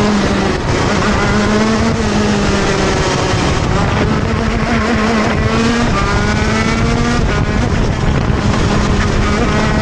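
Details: TM Racing KZ-R1 go-kart engine on track; over loud road and wind roar, note sags and stumbles coming off slow points before climbing again: engine bogs on acceleration out of corners.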